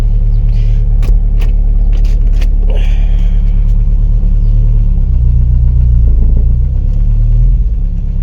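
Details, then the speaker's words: 1988 Jeep Comanche, Renix 2.5L I4, AX-4 4-speed, after fouled spark plug replaced: deep even rumble swelling and holding under throttle, no stumble or popping; pulling cleanly, back in business. "We're back in business, baby. We are back in business."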